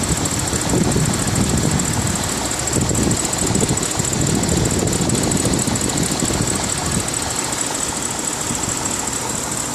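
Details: BMW 550i V8 idling at normal operating temperature has a light, uneven ticking over the low rumble. The owner wonders whether it is normal or a VANOS or lifter problem; the cause is unconfirmed.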